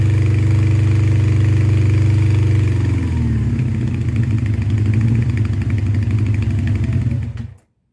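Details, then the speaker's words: 1984 Honda CB700SC Nighthawk with a rebuilt engine that may never have been broken in, running with the choke off on an 80°F day. It runs unevenly, sags and surges, and dies away as if starving. Unseated rings are suspected. "that's with the choke off I'm trying to somewhat break it in I don't know how much it's ran since it was rebuilt"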